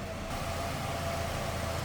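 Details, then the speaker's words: Stock 1999 Chevrolet Cavalier Z24 convertible, 2.4 L DOHC inline-four, about 39,000 actual miles, stock exhaust: smooth, steady idle hum with a constant low drone and no ticking or knocking; healthy engine. "Let's see what uh a 1999 stock Cavalere should sound like."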